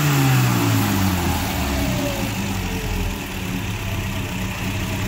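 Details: Mini after tuning with a new distributor and advance curve and custom carb needle profiling: the note drops back from a blip and settles into an even, steady idle with no knocks or misses; a healthy, well-tuned motor.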